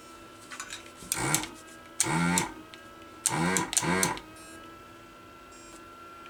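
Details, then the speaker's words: Pro'sKit SS-331 desoldering station, new unit at 160 °C: short bursts of buzzing diaphragm pump, each about half to one second, starting and stopping cleanly; normal vacuum pump running. "so that's what it sounds like when it's uh that's the vacuum pump for you"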